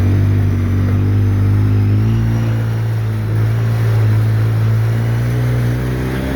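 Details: 2013 Polaris RZR 800S 2.0 after an engine rebuild, driving: a smooth, even low drone with a steady firing beat and no knocks or rattles. Cooling and driving as it should; the rebuilt engine is healthy.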